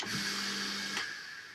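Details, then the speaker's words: Grundfos Sololift macerator pump that hummed but wouldn't turn, after replacing the burst, swollen start capacitor (bearings fine): motor spins up at once with an even whir and steady tone, no humming, then cuts off cleanly; normal motor run. "Поставили новый конденсатор. Будем запускать с ходу. Не гудит ничего."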